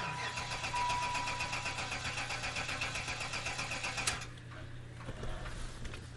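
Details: Old Buick wagon in wet weather, after WD-40 was sprayed on the ignition. The starter cranks steadily for about four seconds at roughly four pulses a second but never fires. It smells rich and the low oil light stays on; owner suspected the Accel coil, later replaced with OE GM, believed fixed.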